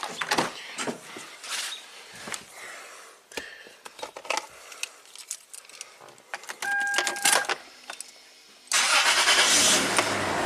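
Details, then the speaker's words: 2002 Toyota 4Runner (3rd gen) starting after exhaust repair (split flange, two bolts, pipe adapter on rusted elbow): engine catches and settles to a smooth, even, quiet idle with no puffing or ticking; exhaust sealed, no leaks. "and quiet. That's amazing. No leaks, no gaskets, almost no parts required."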